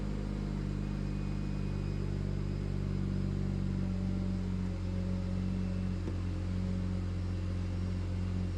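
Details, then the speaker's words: Single-turbo BMW N54 straight-six just restarted after fuel-system work: steady even low idle hum, no misses, knocks or stumbles; return line assumed working, idling cleanly and healthy. "We're good. I assume that even running like that, the return line will be doing something, so..."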